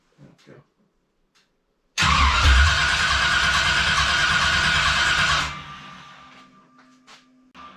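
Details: Freshly reassembled V8 just installed, first start after building oil pressure: catches and runs roughly about three seconds, then quits by itself; starts then stalls, no RPM shown, cause unknown.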